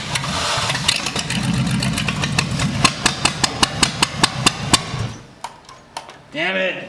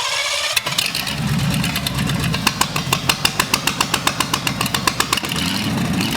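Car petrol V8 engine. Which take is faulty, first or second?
first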